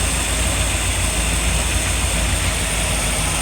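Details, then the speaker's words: RV engine idling after fitting new ignition module and replacing a cracked ballast resistor, battery re-secured with bungee: low even rumble under wind, no misses or stumbles, notably quiet and smooth. "And we just hooked up the battery, drilled some holes inside so that the bungee could go through and hold it in place so that it can't hit it again. But listen how quiet this is."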